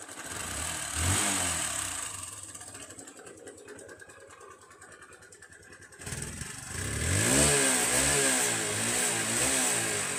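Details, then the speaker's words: Hero Hunk single-cylinder motorcycle idling then revving with a quick light "tak-tak-tak" top-end tapping; bike also emits white smoke, cause not yet confirmed. "Engine noise வந்து நீங்கள் பார்த்துருப்பீங்க வீடியோவில். அதாவது டக்கு டக்கு டக்கு டக்கு டக்குன்னு ஒரு சவுண்டோடு வந்து இந்த இன்ஜின் வந்து ரன்னிங் ஆகும்."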